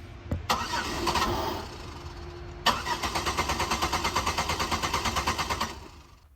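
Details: Buick LeSabre Limited 3.8L V6, originally with a battery drain complaint, fitted with a used 2005 Monte Carlo 3.4L engine computer: steady, rhythmic starter cranking at about three pulses a second that never catches. Crank-no-start from the wrong ECU installed.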